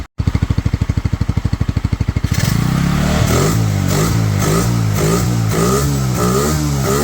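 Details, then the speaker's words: Pioneer Nevada motorcycle after a new carburetor and rust-cleaned fuel tank, choke off: steady even putter at idle, about three beats a second, then smooth revs rising and falling; runs fine on its own, slightly sticky throttle noted. "so as you can hear in the background there she is now fully running on her own the new carb with obviously the cleaning of the tank seems to have done the trick"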